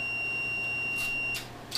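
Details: 1981 Suzuki GN400, power off, ignition switch continuity tested with multimeter during X21 Type M install: steady high beep over a second, cut off as probes leave; continuity shows the park circuit closed.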